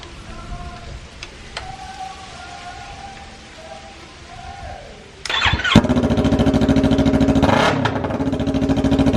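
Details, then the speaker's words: 2019 Yamaha R3 twin after the muffler was removed and straight pipes were fitted (pipes fit poorly): starter catches and a loud, raspy, fast-pulsing unmuffled idle bursts out with a blip. "So let's hear the start now without the muffler. Hopefully it sounds better."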